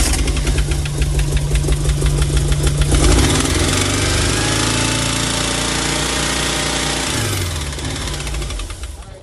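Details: 1987 VW Vanagon Syncro Westfalia, parked since 2001, running after engine reinstall while still blowing coolant out the muffler: uneven, lumpy running with irregular beats and unsteady speed that sags near the end; won't hold a steady idle.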